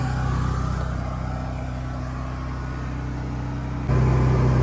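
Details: Firman T07571 tri-fuel generator running inside homemade soundproofed shed, phone placed in the box near the air intake: steady drone with light metallic rattle louder near the intake; healthy generator running normally.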